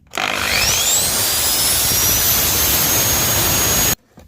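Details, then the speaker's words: Gartner electric chainsaw after disassembly and bearing repair for humming: starts, revs to a high, steady whine, runs evenly, then stops. Bearings good, oil feeding, working normally. "бачите все працює все підшипники подв все чтко"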